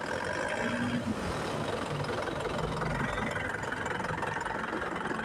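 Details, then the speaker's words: Isuzu Panther 2.5 diesel with AC on, after compressor pulley bearing/centerpiece repair: idle too low, engine shakes as idle-up not right; revving hard, the rumble rises and falls smoothly with no knock, squeal or bearing growl, which is normal. "Nah kalau digas itu normal ya kayak gini kalau digas-gas kencang Ini normal"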